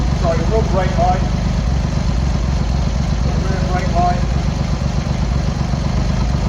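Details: Cold Triumph Hurricane X75, rebuilt carbs just refitted, choke on, pilot screws thought about 7/8 out, left-hand carb later found misadjusted: loud, low, choppy, slightly lumpy idle never settling into even rhythm; carb tuning suspected needed; rough cold idle.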